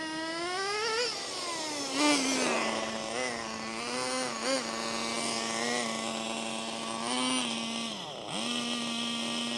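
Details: HPI MT2 nitro RC 4WD truck, drill-started because the rotary starter burnt out: the small nitro engine idles better but still buzzes at a high, steady idle between throttle blips. The owner suspects the throttle linkage and may replace it.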